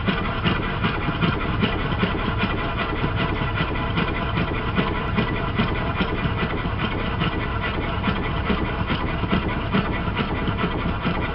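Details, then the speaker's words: Worn triple expansion model steam engine awaiting rebuild, likely run much of its life on compressed air: busy uneven chuffing at about two and a half beats a second with irregular knocks, needs work to run properly; rough running. "This is the one that I'm about to work on in a short while. And when the rebuild is finished, I hope it sounds a bit more like Ronnie's."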